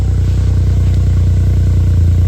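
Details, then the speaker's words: 1996 Suzuki Jimny JA22W, K6A turbo, RHD, cold start, high cold idle: deep, low, even exhaust burble with regular firing pulses, nothing rattling or popping; healthy. "Very good. Very low. Has a nice deep sound to it."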